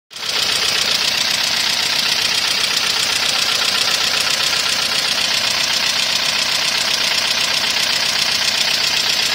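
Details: Toyota 1ZZ engine at idle: loud fast sharp ticking over the idle from excessive valve lash due to worn valve buckets and tappets: valve train tapping.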